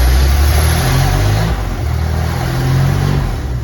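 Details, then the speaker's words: Cab-over Chevy van conversion V8 revved on open straight pipes with no mufflers yet (glass packs planned), replacing earlier straight manifolds; loud, deep, raw rumble rising with throttle blips, yet not very loud. "Let's see what it sounds like just through the straight pipes. Said I don't have mufflers on it yet, but it's got to sound better than what it did with the coming out straight manifolds."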